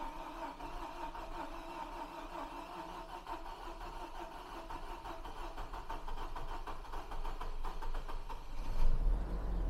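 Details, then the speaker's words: 2007 Hummer H3 manual 3.7L, running after a little fuel was added, in neutral: steady, even idle with a soft ticking rhythm and no misses or knocks; engine settles and runs smoothly, a normal healthy idle. "she is in neutral though as you guys can hear the motor is running well"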